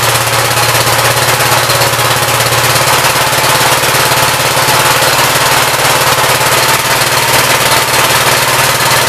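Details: 1959 Gravely LI single-cylinder engine with a 20-over piston, oil had been mostly water; now runs loud, crisp and even at a fast steady pace with no stumbles or knocks, good oil pressure, running well.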